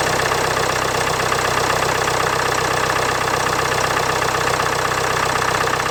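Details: 2016 Land Rover Discovery Sport Ingenium D180 2.0L four-cylinder diesel, cold start below 10°C, recorded around a timing chain replacement. Steady, even diesel clatter at idle with no odd knocks; sounds like a normal idle.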